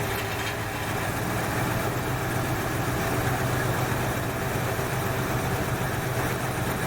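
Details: 1968 Ford Fairlane carbureted V8 after fixing a carb flooding problem, air cleaner off: steady, even low rumble at a slightly high idle, no stumbling or misfire; running clean and smooth, much better than before.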